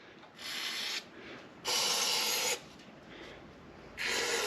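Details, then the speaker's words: Bare crankshaft of a 1982 Fiat 124 engine block, left outdoors with the oil pan off, turned by hand on an engine stand; three short dry rasping bursts of light grinding. Owner suspects dirt in the end cap. "You can hear a little bit of that grinding, which I think is probably some dirt that got in the end cap there."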